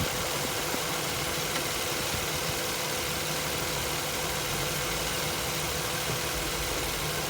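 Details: 2005 Infiniti FX35 3.5 VQ V6 running: fast, dull knocking under the engine's busy hiss, attributed to a spun bearing; engine to be swapped.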